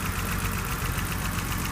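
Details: 1983 BMW 635CSI manual, straight-six idling under the bonnet with fan replaced a couple of years ago and new plug leads: smooth, even low idle, steady beat, no hunting or stumbling; ticking over healthily.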